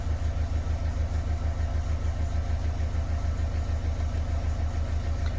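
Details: Renault Kangoo diesel (K9) idling after reassembling wiring for a loss-of-power/accelerator pedal fault, no errors stored: smooth, even idle with a steady low throb about three pulses a second, no knocks or misses.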